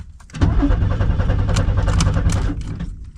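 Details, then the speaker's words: 1990 Pontiac Firebird third gen that has sat for a long time, now cranking; fuel pump operation not yet verified, and the fuse box is corroded. About two seconds of steady cranking that never catches: crank, no start. "She's cranking. >> [laughter] >> Now, uh we got to figure out if the fuel pump's working cuz well, without fuel she's not going to do nothing."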